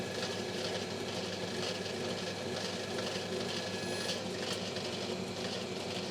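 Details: Lathe skimming the commutator of the armature from a decade-old Rexon BTS10A table saw motor that had failed. A steady, even whir with a light constant cutting hiss and no knocks or chatter: the lathe is running smoothly and normally.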